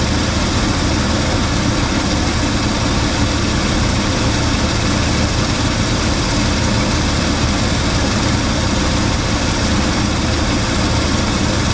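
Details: 1980 Cadillac Deville idling after its first start following about six months of winter storage: steady, even low rumble with no knocks, misses or rattles; engine running smoothly, normal idle.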